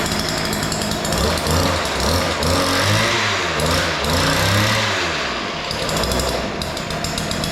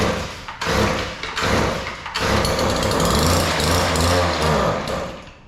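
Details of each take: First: Weedeater two-stroke yard edger after opening both carburetor mixture screws, which were far out of adjustment and too lean. It now starts easily and revs up and down cleanly with crisp buzzing pulls and no stumbling. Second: Weedeater 2-stroke yard edger: engine stutters and surges in ragged bursts, can't hold speed; both carburetor mixture screws far out of adjustment, too lean; fixed by opening them; lean running.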